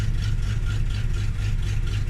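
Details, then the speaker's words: Foxbody Mustang V8 after cold start, held about 1000 rpm until the shake goes: steady low burble at raised idle, even pulses, no miss or shake; normal idle. "away and that is how i start my car every morning um and as you can see it idle's really good"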